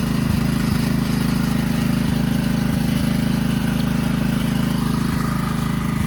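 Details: 2009 Kawasaki KLX140 dirt bike, sat about two years, jump-started with no battery; fired right up: crisp regular single-cylinder beat at steady idle, no stumbling or popping; runs pretty good, normal running.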